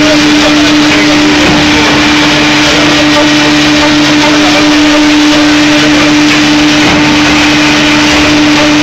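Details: LP hydraulic drive running: loud, steady mid-pitched whine over a rough hiss; after 3 minutes the switching valve and cylinder number one run hotter than other components; cause not pinned down.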